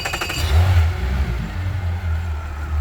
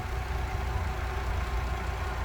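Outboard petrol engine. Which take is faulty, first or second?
first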